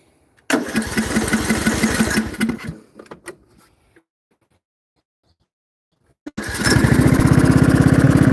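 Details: Briggs & Stratton 16 hp single-cylinder with cooling shroud removed, runs with no power; fires, runs a couple of seconds, sags and sputters to a stop, restarts; stalling, cause unknown, compression unchecked but feels good.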